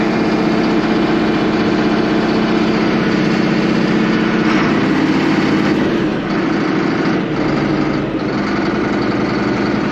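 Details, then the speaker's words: Allis Chalmers 7580 tractor diesel at idle, just fitted with a new factory-style muffler replacing the chrome stack. Even, mellow, muffled chug with no misses or knocks; still bellows, but quieter. Healthy. "Now she still bellers pretty good, don't get me wrong, but yeah, it will help my ears a lot while I'm out there disking."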